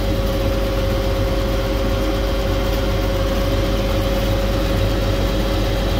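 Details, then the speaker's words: Hyster forklift with a GM 4.3 Vortec run out of oil, unserviced since March, previously seized; starts and idles rough with a heavy uneven low bottom-end knock and heavy blow-by, nearly locks up on throttle; oil starvation, rear main suspected gone. "so let's see what happens she starts oh and she knocks little bit look at the blow by I totally expected it to sound worse"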